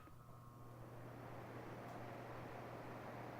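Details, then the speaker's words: Mini split indoor evaporator fan started after the installer wired the unit: quiet, even low hum with soft airy rush and no rattles or ticking; the blower runs smoothly and normally. "but uh let's go ahead and fire up the evaporator fan"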